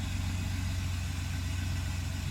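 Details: Mercedes S600 W140 V12 at cold idle right after starter repair: smooth, deep, steady idle with even low hum and no knocks or misses; running healthy.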